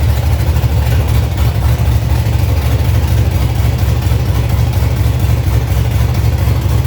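Deep, heavy rumble holding a steady, even beat with nothing rattling or tapping over it; the engine runs healthy.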